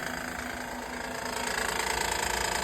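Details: Honda Odyssey 3.5L V6: fast, even ticking chatter keeping pace with the running engine, traced to the timing belt tensioner, which is then removed for repair; timing belt tensioner noise.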